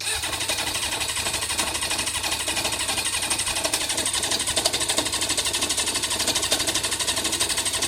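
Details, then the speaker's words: Kawasaki motorcycle showing 315 miles, bought as a project: steady chuffing cranking of about three beats a second, thin and hissy, never catching. Cranks but won't start; the owner hopes balancing the carbs will fix it. "it's got a bigger issue it did start the other day but easiest solution on this one would be to balance the carbs and hope that that would do it"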